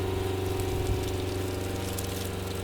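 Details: Water pump on a DOT WUHT camper trailer, supplying the outlet tap and Joolca hot water for a shower at about 42 degrees: steady low hum with a fast even pulse and water rushing over it; running smoothly with good flow.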